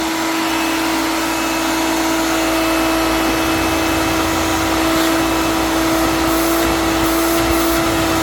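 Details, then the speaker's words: Vintage vacuum with a full bag, first switch-on: steady high motor whine with brief dips and flutters partway through, as if cutting out for half a second. The motor is heard stalling; owner suspects something loose, not confirmed. "It sounded to me like halfway through, you'll have to replay that on the video, or I will. It sounded like it cut out for half a second and then came back on. I don't know whether there's something loose."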